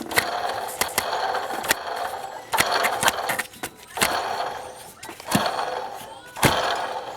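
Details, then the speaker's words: Removed original water pump from a 1995 Dodge Neon 2.0, spun by hand: a gritty, rough rasp that fades as it slows, and the shaft has noticeable play. Worn water pump bearing grinding. "I'm going to hold this and spin it with one hand it's not supposed to sound like this bad"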